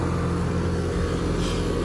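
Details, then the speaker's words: Trane AC condenser just after condenser fan motor replacement for a no-cooling failure: deep, steady hum with an even fan whoosh, no knocks, rattles or squeals; runs smoothly and healthy. "train has that distinctive sound compared to other brands at least to me they do they sound just a little different"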